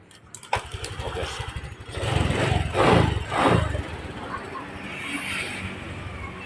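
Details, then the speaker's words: Honda Vario 125 (old model) with a newly installed CR7 alarm and relay ignition cut; it starts only after the alarm lock is released. The starter catches at once, a couple of throttle blips, then a steady, even idle: a normal start. "Motor bisa hidup ketika kita sudah buka gembok ini. Oke, baru bisa hidup motor ini."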